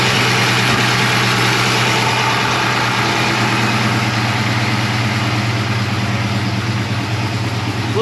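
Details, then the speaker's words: Freshly built ZSR 363 SBF small-block Ford, turbocharged, in an 1988 Fox-body Mustang notchback, on its first real start before break-in: a loud, lumpy, even idle with a light metallic rattle on top. "little rattly. Yeah, at first it was. It's kind of smoothed out a little bit."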